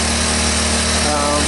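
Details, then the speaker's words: 1983 Honda ATC185S three-wheeler, first start after sitting, on original carburetor: steady, even idle with no knocking from the bottom end, quiet valve train, no smoke; engine sounds healthy, normal idle. "no bad sound from the motor when you idle and down that low if there were bad sound you would you would hear it um in the bottom end valve sound good"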